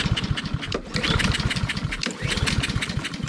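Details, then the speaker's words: Roadside-found Honda push mower that won't start, pull-cord cranking after the spark plug was regapped: fast, steady cranking chatter with no firing at all. No-start from fuel starvation, a gummed, dry carburetor. "Still nothing. So the next thing we're gonna do is insert a little starting fluid directly into the cylinder and make sure that we're getting the right spark at the right time."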